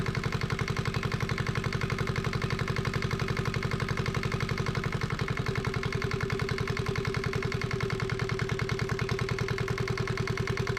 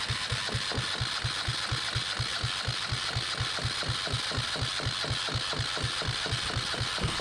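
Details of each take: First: Yanmar 1GM single-cylinder marine diesel from a sailboat, run in a shop, started after bleeding the injector inlet line: firm, even chugging with no stumbles, not bouncing much; normal running. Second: Yanmar 1GM single-cylinder marine diesel from a sailboat, throttle opened: steady cranking at about two compression beats a second, never catches; cranks, no start.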